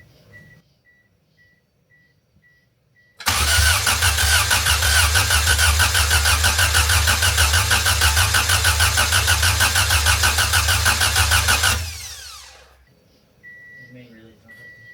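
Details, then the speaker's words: Kyler's wagon, first crank after ECU repin for multi-point fuel injection: starter churns three beats a second for eight seconds without catching; ECU light stayed on, main relay not working, traced to a disconnected ground wire. Crank no start. "Main relay's not working. >> Yeah. You see how the ECU light didn't go off?"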